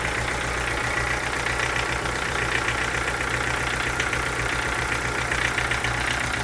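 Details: Chevrolet Corsa sedan with Montana front: steady idle with fast light ticking and a hissy upper rattle; owner asks what the engine noise could be, cause unknown.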